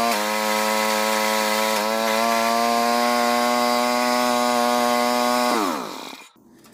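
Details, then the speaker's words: Old rototiller single-cylinder engine after pull-start repair and a check for gas leaks: steady, even buzz with a slight rise in pitch, then a clean shutoff. Runs smooth and healthy. "well there you have it looks like we're good to go for another season"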